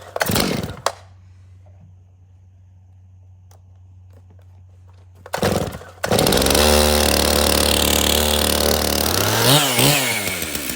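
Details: Stihl chainsaw from a customer's three no-start saws, run on the fuel it came in with, which had some dirt in it: fires, settles to a steady idle and revs cleanly up and down. It starts and runs normally.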